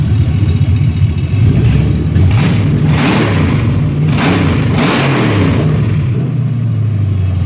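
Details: 2016 ambulance L96 6.0 V8 running on the floor; deep even rumble rising and falling through several clean revs, no knocks or misses, smoke-free, nearly new engine; thin intake audible; normal revving.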